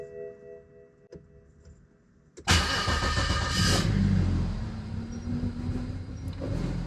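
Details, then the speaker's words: BMW N54 single-turbo engine start after fuel line work on AN fittings, at least one fuel pump heard priming: short crank catches, idle slightly lumpy; a bit of air in the fuel, expected. "Bit of air in the fuel, that's expected. I think we're good."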